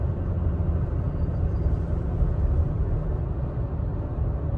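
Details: 3rd-gen Toyota Tacoma at about 35 mph under light throttle: a deep low rumble like driving over rumble strips that goes away when given gas; torque converter clutch shudder.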